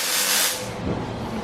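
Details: Turbocharged engine: a loud rushing hiss for half a second under boost that fades into a low engine rumble, like air escaping, possibly from a boost leak.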